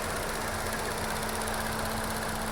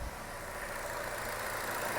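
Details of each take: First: 2016 Chevy Cruze 1.4L at idle: fast steady light clicking from the faulty EVAP purge valve, also causing code P0496; injectors first suspected; both fixed by replacing that one part. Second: 2016 Chevy Cruze 1.4L after a one-part replacement (clicking noise and code P0496): quiet, even idle with no clicking; engine works as it should.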